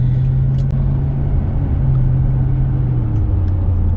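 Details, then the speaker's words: Pontiac GTO driven at about 60–62°F to warm the differential oil before a change; steady low hum under road rumble, dropping in pitch as speed falls; known GTO rear hum, possibly new tires or loosened axle; cause unconfirmed. "the uh gtos are well known for having a little bit of a hum back there"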